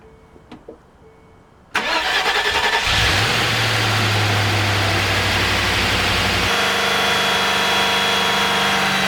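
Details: Land Rover Discovery 2 with a freshly assembled engine, first start after a new starter was fitted: brief crank, clean catch, flare, then a steady even idle with no knocks or misses.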